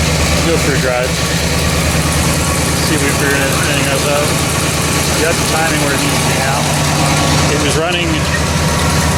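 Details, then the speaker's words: 1969 Buick GS with a freshly refreshed big block (400/430/455), after ignition timing correction and carb adjustment: steady, even V8 idle with an unbroken rhythm and no stumble or misfire; the engine is running way smoother. "I need to tighten up here a little bit. Running way smoother."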